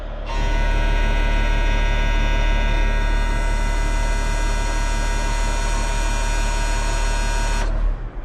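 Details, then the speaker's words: Road grader diesel after fixing the starting problem (fuel shutoff solenoid linkage lubed), with the auxiliary pump unhooked: holds a smooth, even drone without missing or knocking, then shuts off cleanly; big difference, runs fine. "I unhooked that damn auxilary pumped for now I don't got time to listen to it what a difference huh"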